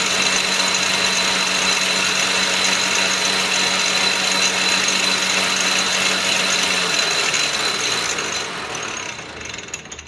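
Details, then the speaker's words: Atlas Clausing 4800 series 12" lathe under restoration, on a test run with the belt on the middle setting and the clutch engaged: loud continuous gnashing with ratcheting about four per second, fading as it spins down. A gear is grinding in the headstock. "so come to find out I was uh grinding a gear down here when I did a test run"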